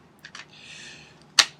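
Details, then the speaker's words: Ruger 10/22 Tactical with 25-round ProMag magazine, held steady: sharp light clicks and a louder snap as the magazine moves out of place in its seat, causing failures to feed on every shot. "I'm not moving it up and down you can hear the clicking so it's moving out of place"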